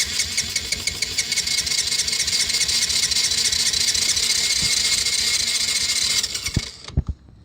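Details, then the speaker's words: 1985 Yamaha Moto 4 80cc ATV after fuel tank drained and refilled with fresh fuel, untouched carburetor, wet Champion plug (old resistor plug tested bad): with hand over carb it catches, runs raggedly ~6 seconds, pops and dies; owner suspects spark or carburetor. "Okay, so it kicked. It wanted to go, but I'm kind of concerned about the spark issue."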